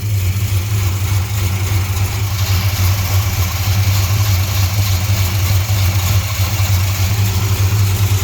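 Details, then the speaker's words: 1968 Chrysler Newport Custom V8 with Holley Sniper fuel injection idling, timing checked at about 11–12 degrees at idle, still warming up; deep steady low rumble with even beat, no knocks or misfires; normal idle. "i just checked timing at about 11 12 degrees at idle"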